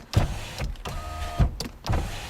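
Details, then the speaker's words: 2002 Chevy Cavalier power window, key on, heard at the door with the panel removed: short bursts of strained motor hum with each switch press but no travel; the regulator motor is trying and failing to lift. Other windows work. "So, I can hear it trying to move, but nothing going in this direction. The other windows work fine."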